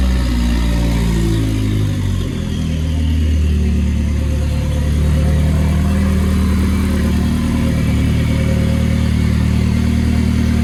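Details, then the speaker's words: Nissan S14 with a loud, raspy exhaust dropping from a rev to a steady, even idle without stumbling, after the fuel pump was checked for priming; the earlier idle problem is solved and the idle is normal. "So we solved our idling problem, guys. That's a win."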